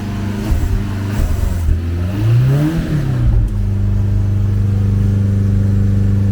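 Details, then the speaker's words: Ford Capri garden find, running after a spray of starting fluid: it blips up and back down cleanly, then settles to a steady, even exhaust drone with no misfire. It runs well with slight smoke; the fuel gauge reads half a tank. "no Miss Smokey but it's pretty clean again let's get that noise that's a really even exhaust note that is running really well"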